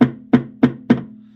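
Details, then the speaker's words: Audi A6 C5 on stands, wheels straight: four sharp metallic knocks about a third of a second apart, only when the tie rod is struck downward, no leak yet; steering rack knock. "Проблема в рулевой рейке. Рулевая рейка стучит, да, пока нет утечки."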